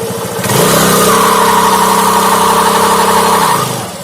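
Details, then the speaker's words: Honda Activa scooter on main stand, accelerating: revs climb with a steady whining hum but no matching pickup; engine oil on the CVT drive belt makes it slip, causing poor pickup. "कि आवाज आ रही है। अंदर ही रहना है belt फिसल रही है।"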